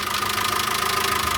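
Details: VW Caddy 2.0 BSX running on methane, brought in for misfiring (spark plugs had run 100,000 km, cheap leads fitted), just restarted after repair and not yet fully warm: even steady idle, no valvetrain ticking; engine sounds healthy.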